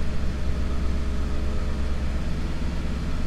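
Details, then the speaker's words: 1990 Mercedes C126 560 SEC, Euro-spec AMG car, after cleaning and freeing a sticking idle part: a steady, even low rumble, idling slightly high around 1000 rpm while cold, no misses or knocks. "oh yeah i think that did it idol is nice and smooth let's take a look at a thousand rpm should drop down once the car warms up"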